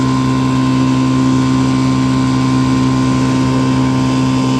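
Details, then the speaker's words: 1955 Johnson CD-12 5.5hp outboard built from mixed parts with eBay Hong Kong coils, first pond run on a boat under load: even strong two-stroke buzz, no misses or knocks; runs smoothly, though the coils won't let it idle as low as OMC coils. "fire it up here and show you how it turned out she's not real pretty but it's it's good runner so happy with it"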